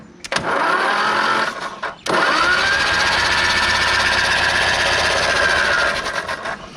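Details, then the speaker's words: 1970 Ford Escort MK1 in rough condition, cranked after an oil flush and now pumping oil: starter whirs in two long bursts but no cylinder fires; crank, no start with no ignition spark, points needed. "hey we need we need some points i mean to get a spark"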